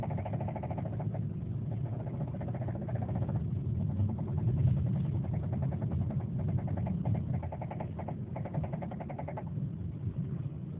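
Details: 2007 Subaru Forester XT at idle: a dull, uneven internal tapping that comes and goes, with no check engine light and no smoke; the car vibrated a lot later on. Owner suspects rod knock, unconfirmed.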